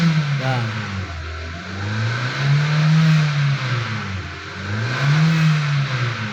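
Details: 2016 Hyundai Elantra engine bay: a low steady drone rises and falls with each rev; the power steering pump is mentioned, but the humming source is still unknown and unconfirmed.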